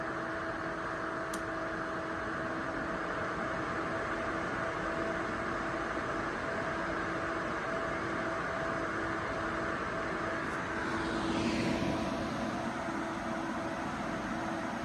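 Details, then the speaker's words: Two ACMEMATION 120mm PWM case fans (2700 max rpm) running together, recorded about a foot from a decibel meter; smooth even airflow hiss with faint steady hum, no ticking, rattling or grinding. "So finally, let's get what this thing sounds like with both fans running."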